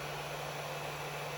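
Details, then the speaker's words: Tronxy XY2 Pro 3D printer with extruder at 200 °C and bed heated: a steady, loud airy whoosh with a low hum underneath, unchanging throughout. The cooling fans are running very noisily. "So everything is working in terms of the functions. But you guys can hear it, right? So noisy."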